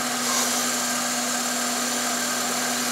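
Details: Toyota Celica after new fuel injectors and spark plugs, still hesitating when first started: a steady, high, drill-like whine sits over the running engine without changing pitch. Source of the whine not confirmed.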